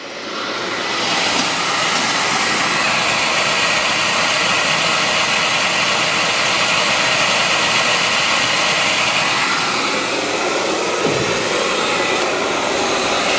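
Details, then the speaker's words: Beckett oil burner, Honeywell R7284U primary control. After the flame, the transformer shuts off and the blower runs a post-purge set to one minute. A steady, even rushing roar with no flame pulsing. Normal post-purge. "Transformer shuts off a limit post Purge I got it set for a minute so it's going to run for a bit"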